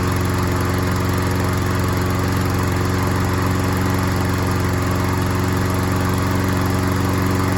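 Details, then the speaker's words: Troy-Bilt self-propelled single-cylinder mower after carburetor needle seat/gasket repair: steady, even, regular beat; slight hesitation probably from a wet old air filter running rich, later replaced. "I'd say it runs pretty good. It did kind of hesitate there, but that was probably because of that old air filter."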